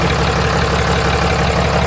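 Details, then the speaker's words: Diesel truck after major repairs were completed, boost tube running well: a steady, even idle with a smooth low rumble and no knocks, misses or air leaks heard. The engine sounds healthy. "truck sounds good. I am proud of myself."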